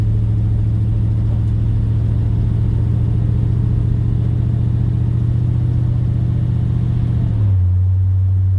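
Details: 1956 Dodge driving at cruise: deep steady rumble and drone fill the cabin from all around, pitch dropping as the car slows; loud cabin drone, source unclear, before sound deadening was added.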